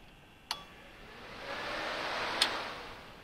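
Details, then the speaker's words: W201 with V12 swap and VEMS ECU, engine not running: output test switching the cooling-fan relay gives two crisp, isolated clicks about two seconds apart over quiet hiss; ECU output relay clicking normally. "so what nice is I can show you that they are working so if I you can just test the channels so this is my cooling fan"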